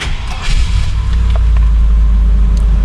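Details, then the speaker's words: 1999 Land Rover Discovery, long-sitting project truck, after swapping ECU and BCU between two Discoverys and exiting BCU programming mode with immobilizer light off: engine catches quickly and settles into a deep steady idle, no stumble or misfire, and no dashboard warning lights. Normal start and idle. "There we go. It runs. And another amazing thing is there are no warning lights on the dashboard anymore."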